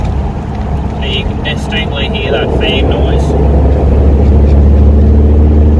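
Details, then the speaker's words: Toyota 1KZ turbo diesel with a bigger turbo fitted, on a road test after the viscous fan hub was refilled with silicone oil: deep steady roar building with road speed, fan whooshing and loud induction rush; the fan clutch now engages properly, sounds healthy. "it's got a pretty loud abduction on this thing since a bigger turbo has been put on"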